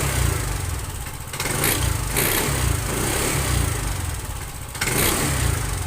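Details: TVS Jupiter 125 BS6 scooter idling and blipping: a rough, uneven mechanical noise over the single-cylinder running; abnormal engine noise, cause not identified.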